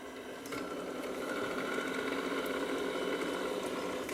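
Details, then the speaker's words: 55-year-old Grundig TK6 reel-to-reel tape recorder, first power-up before repair: quiet, even motor hum with faint light mechanical ticking; the motor runs and the capstan shaft turns normally. "and see whether when I turn it on if it makes any noise which it does I hear a motor running"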